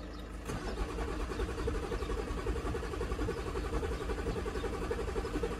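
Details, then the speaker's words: 2011 or 2012 Audi Q7 crank-no-start, previously blamed on the high-pressure fuel pump: steady cranking at about two beats per second with a hard, uneven hydrolock-like crack and no firing. Fuel rail pressure stays low. "One is while cranking. While cranking, I can hear kind of like that hydrolock crack."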